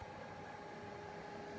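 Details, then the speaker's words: Glowforge laser cutter with the air filter attached and a newly installed external fan replacing the loud stock fan, running at full power; quiet steady fan hum and soft airflow, no rattle. Normal running. "kind of hear it going it's about as loud as it's gonna get it's gonna get while that's doing its thing"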